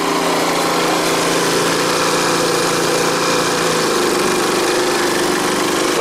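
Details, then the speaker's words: Energizer eZV3200P inverter generator switched from full rpm into eco mode, heard from about ten feet: an even drone that settles to a lower pitch, metered at mid-to-high 50s dB versus about 60; normal running. "lowers the RPM down quite a bit quieter talking here for a second"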